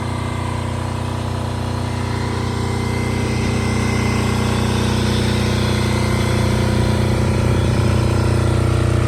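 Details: Multi-power diesel generator (generator only, not a welder, about 5,500 watts), started about 5 or 6 times: steady, even thrum at constant speed with a smooth low beat, no knocks or misses; normal running.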